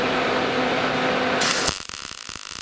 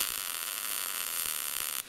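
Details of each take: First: Gas-shielded short-circuit MIG welding with wire speed set way too slow for the voltage: arc crackles with uneven pops about three a second instead of a steady sizzle; wire feed too slow. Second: Gas-shielded short-circuit MIG welding with wire speed matched to the voltage setting: steady, even crackling hiss like frying bacon with no popping or stuttering; correct setting, between too slow and too fast.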